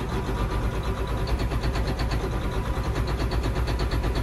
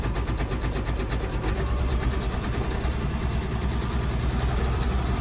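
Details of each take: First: John Deere 9530 tractor, 13.5 L diesel, with fuel pressure fault code and a fuel pressure sensor reading about 20 psi off: rough, shaky, uneven idle around 990 rpm, smoothing out above 1350 rpm when pilot injection stops; cause suspected, not confirmed. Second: John Deere 9530 tractor, 13.5 L diesel with fuel pressure fault code, raised to about 1350 rpm where pilot injection cuts off: steady raised idle with even, unbroken clatter and no stumble; smooth, normal fast idle, rough just below.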